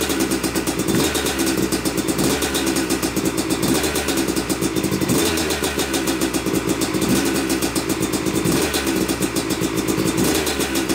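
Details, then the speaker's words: Yamaha YZ250 two-stroke motocross bike (270cc/250cc) on first start after year-long full engine rebuild (bottom end, transmission, bearings, clutch, power valve); took a few kicks, heavy smoke from oil-coated parts; crisp crackle with revving blips, runs cleanly, normal. "well it runs it runs i'm i'm uh yeah i'm pretty tickled about that i mean it took a few kicks to get her going which is normal"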